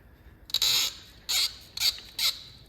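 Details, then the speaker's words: BMW 3.0L diesel glow plug removal, with penetrating lube soaking the threads: four sharp, high-pitched creaks in under three seconds as the plug turns. Glow plug seized and binding in its threads. "but cylinder 1 made so many creaky Snappy noises that I genuinely had a heart attack I might set the tripod up so you can hear these uh noises coming off the spark plugs glow plugs as I undo them"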